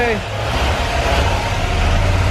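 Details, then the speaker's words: Cadillac coupe with swapped 6.0 LS V8, first start with switched wire run straight to battery for testing: steady deep rumble, no misses or knocks; running with oil pressure, small oil leak at a rear fitting. "got oil pressure you got oil pressure No hell yeah dude burn like a kitten"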